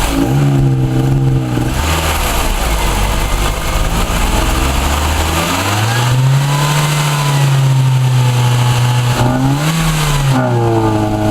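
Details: Ford Orion with a Zetec engine revving up and down with an uneven, stumbling note and a slight stutter as revs rise, a misfire.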